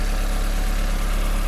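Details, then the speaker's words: 1991 VW Passat B3 1.8 petrol with a new distributor cap fitted (it misfired before): a smooth, even low idle hum with no skips; the engine runs cleanly. "Ну вот всё работает с данной крышечкой новенькая красивенькая если слышно звук мотора всё прекрасно"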